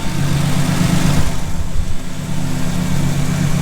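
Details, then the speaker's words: Ford Sport Trac 4.0 with 246,000 miles, just after a cold start on 10W40 oil to quiet timing chain rattle, oil pressure slightly higher than usual: low, even idle rumble with no clatter or repetitive rhythmic noise, quietest it has ever run; normal idle. "but that is the quietest this thing has ever run no more noises that repetitive rhythmic noise it's always made no clattering"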